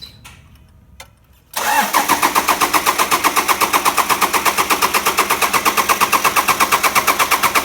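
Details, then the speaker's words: Toyota Land Cruiser 120 Prado, newly installed replacement diesel engine, first start after final checks: brief crank then clean catch into even, steady idle; no exhaust smoke, sounds healthy. "oh beautiful as soon as it starts it just sounds like an absolute gem"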